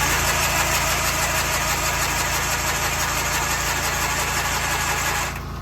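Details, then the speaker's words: Tractor after fuel pump diaphragm was oiled and the carb top refitted: starter churns about three turns a second with no firing; cranking but fuel-starved, pump seemingly not delivering. "well it is running but it doesn't seem like it's pumping fuel so let me pull the top of that car back off and see if there's fuel in the bowl"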